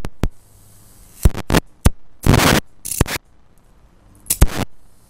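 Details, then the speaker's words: IR2153D half-bridge flyback driver on 170 V DC drawing about 500 mA, under an amp, small flyback: irregular sharp crackling bursts and short buzzing snaps with silence between as sparks are drawn; normal arcing, though this flyback may not like it. "I don't think this is the kind of flyback that likes arcing very much though"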